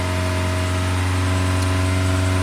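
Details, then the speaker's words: 2006 Toyota Corolla (E120) with rough idle and stumble, just started on a jump box, not yet at operating temperature: steady even hum as the engine settles and relearns a normal idle, helped by putting it in drive. "sometimes you can help it by putting it in drive yeah that's raging a little bit but it'll learn its idle"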